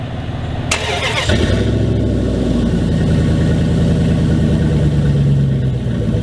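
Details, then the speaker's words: 2000 Dodge Dakota cold start with the exhaust rusted through at a hanger, below the passenger seat: a loud, raspy, low-pitched blatty idle. Exhaust leak heard before the repair. "i'll give you guys a nice little cold start that way you guys can hear what it sounds like currently with the exhaust being broken and compared to how it'll sound after i fix it"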